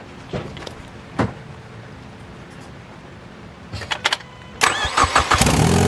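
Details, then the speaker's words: Ford Mustang 2.3L turbo started up with the gasket missing between turbo and downpipe, throwing check-engine lights: cranks, fires, then idles with a sharp, rapid ticking puff; exhaust leak at the turbo downpipe flange. "yeah that's not good for the motor or for the engine because now it's throwing check engine lights in and all I'm thinking is getting too much air"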